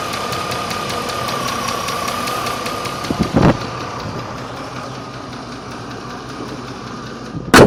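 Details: 1998 Range Rover P38 V8 at idle: fast even tick over the engine, heavier than normal, owner believes at valve speed; points to valve train, cause unconfirmed.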